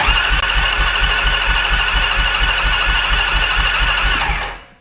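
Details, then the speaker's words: 2001 Yamaha Kodiak 400 ATV after replacing the one-way starter bearing with new OEM, cold-cranked with no fuel after long sitting without oil to circulate oil: steady, even cranking with no grinding or slipping, then it winds down; normal cranking. "I'm going to just cold crank it over because it's been sitting here with no oil in it for a really long time."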